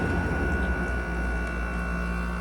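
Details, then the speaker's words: 2016 Frigidaire 5,000 BTU window AC, mechanical controls, coil sweating: low smooth steady hum with no clatter or rattle; compressor very quiet, normal operation. "So yeah, this one does a very good job, and as you can hear, the compressor on this thing is like silent."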